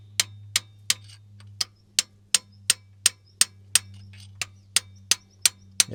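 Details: Sharp, dead metallic taps about three a second on a seized valve stuck in its guide, no spring-back, in a V12 supercharged two-stroke Detroit Diesel 12V71 on a Wabco Haulpak dump truck sitting for years.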